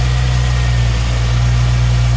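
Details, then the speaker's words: 2008 Ford Mustang first start after harmonic balancer and destroyed crankshaft sensor replaced (was no-spark no-start): low steady idle rumble, even beat, no ticking, squeal or misfire; runs smoothly. "All right, we got it running."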